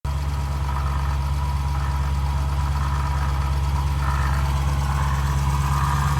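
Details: Dodge Challenger Scat Pack at idle: a steady deep idle with a faint wavering whir riding above it that never settles. The water pump was failing and the dealer replaced it under warranty.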